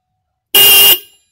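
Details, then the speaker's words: Single-terminal horn reinstalled: one short, very loud, shrill half-second blast, then quiet; strong, healthy horn tone. "Eh jadi Suaranya kayak gini titik-titik suaranya ini klakson kenceng banget ya"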